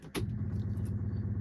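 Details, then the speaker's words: 1968 Morris 1100 MK2 (ADO16), all original, cold start at about 20 °C with no choke: the electric fuel pump ticks rapidly and evenly, starting abruptly and holding steady as it primes almost instantly; normal priming before start. "the fuel pump. Wow, that's instant. That is instant."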